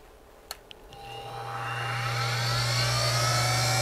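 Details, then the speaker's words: Central Machine mini mill after a Little Machine Shop belt pulley conversion, with the transmission gears removed. A couple of clicks, then a smooth spindle spin-up to a steady soft hum and whir with no gear chatter; runs quiet. "I just pulled these out and I'll show you how quiet it is now"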